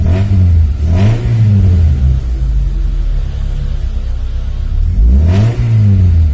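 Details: Freshly assembled Honda Civic Genio engine while setting the air-fuel ratio: two quick throttle blips rising and falling cleanly, steady even idle between; runs smoothly.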